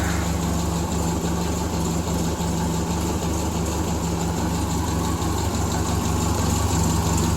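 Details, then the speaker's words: Truck started after about a month, idle brought down, still cold while warming up: low, uneven idle with slight chugging and small dips in the beat; rough running until warm. "we'll let her warm warm up a bit you can hear it chugging a little bit just because she's still cold at least she ain't as cold as what it is outside"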